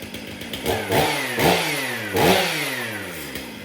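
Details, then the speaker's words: Stihl MS 500i chainsaw after clutch and sprocket work, brought in for a noise while starting: crisp two-stroke revs climb and fall cleanly in three blips with steady idle between; running healthy. "Well, there we go. Was not here for a running issue, just a noise while trying to start it."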